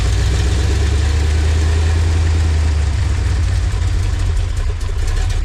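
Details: LT1 V8-swapped Jeep YJ, repaired after a no-spark, no-charge breakdown: deep steady rumble with a smooth even beat, no misses or knocking; healthy idle.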